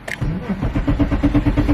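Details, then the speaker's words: BMW E34 535i, abandoned and unstarted for 12 years, first start attempt on a fresh battery: steady cranking about eight turns a second that never catches or fires; cranks but no start, owner suspects no fuel arriving. "Alright, so I got a feeling for some reason it's not getting any fuel in, but it's a good sign that it's cranking over."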